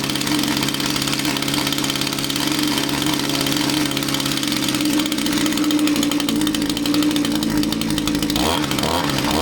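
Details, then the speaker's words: Echo string trimmer two-stroke powerhead: high, buzzy unsteady raised idle that wavers. Loosening the fuel cap made it want to die; not a tank vent fault but the carburetor fuel pump not working, possibly from impulse line or crankcase blockage. "Well, it's not a venting problem, it's a fuel pump problem. Fuel pump is not working, or not working completely."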